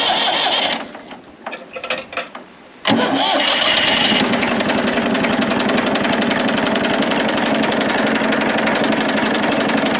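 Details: Massey Ferguson 35X diesel tractor after replacing the perished fuel bowl gasket and priming; cranks briefly, catches after a few turns and settles into an even diesel clatter at idle; normal start, no longer leaking.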